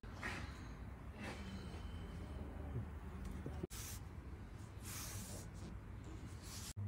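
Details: Steady low hum in the cabin while driving, present from low to high speed, from cupped (scalloped) tyres with wavy tread. The noise was previously misdiagnosed as a gearbox/transmission problem.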